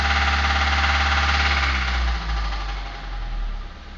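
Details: Suzuki Grand Vitara engine running with a steady knock of about three or four a second as it winds down. Worn engine mounts led to a holed oil pan and oil starvation. Teardown showed spun connecting rod bearings.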